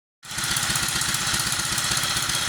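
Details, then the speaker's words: 1947 Whizzer Model H single-cylinder, revived, on thumb throttle with choke being taken off: putt-putt start settling to steady even idle once warmed up; normal warm idle. "There, I got it running a bit better now that it's idling."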